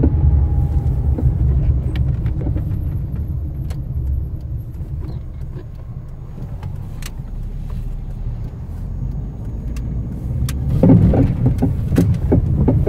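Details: Fiat Strada pickup makes irregular dull suspension clunks and knocks while driving, recorded before a suspension overhaul.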